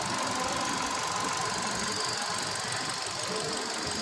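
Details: Hyundai i20 Elite petrol after ECM repair: steady, even idle hum with no stumbles or surging; it previously would not start, with no immobilizer or check-engine light and no scanner communication, and it now starts and reads on scan.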